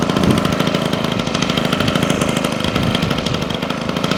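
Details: Honda HHH25 two-stroke hedge trimmer after carburetor replacement and idle adjustment: a quick, even popping beat that holds steady with no hunting or stalling. It idles cleanly at a good speed and is more responsive.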